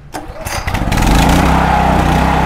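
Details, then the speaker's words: EGI3000M open-frame inverter generator, 240 V 50 Hz, choked and pull-started then choke pushed in: a few pull strokes, catches and settles into loud but steady, even hum with low vibration, no stumbling; normal start and run. "Dia punya enjin boleh dikatakan steady, kurang gegaran, cuma dia punya bunyi agak tinggi, lebih kurang dalam 140 ke 145 apa orang cakap dB lah."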